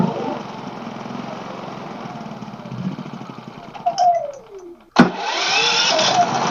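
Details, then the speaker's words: Pulsar inverter generator after freeing an intake valve gummed up by stale gas, done without removing the head: sputters, catches after a brief lull, then settles into a steady, fast, even run. "I don't know why it wasn't dying but it's running that's all that matters"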